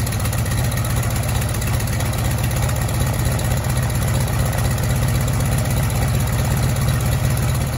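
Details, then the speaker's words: Cessna 195 piston engine after a no-start diagnosis and repair, started on both mags. Strong low steady beat running evenly with no misfire or stumble; it works. "well it works so that's good"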